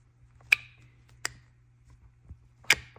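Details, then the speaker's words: BMW N54 single-turbo 335i with camshaft and VANOS faults, removed VANOS solenoid activated on the bench: three sharp, loud metallic clacks with a ringing tail; worn plunger, unlike the quiet new ones. "what we noticed was the sound that the plunger makes when this venos actuator is actually activated you hear how loud and mechanical that"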